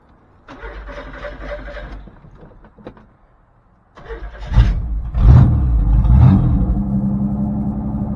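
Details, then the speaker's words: 1984 Chevrolet S10 carbureted pickup, previously wouldn't idle (vacuum leak or throttle screw suspected), choke off: cranks, catches with a few revs, then settles into an even, steady idle with no misses. "Wow, that was weird. It just kind of busted off and idled perfectly."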